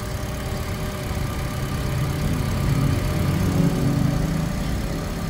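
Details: Toyota 1NR-FE engine with about 370,000-400,000 km, after timing chain work to cure engine noise, start-up: steady low idle with even beat, no chain rattle or tapping heard.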